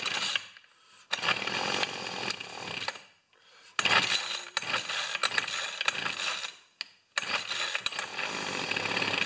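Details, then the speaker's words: Two-stroke weed trimmer, primed, started on full choke, runs poorly despite carb adjustments: revs up then sags and nearly dies repeatedly in uneven bursts; surging. "yes my friend this is mine and it's not running good it runs and then you adjust it and it runs and you adjust it"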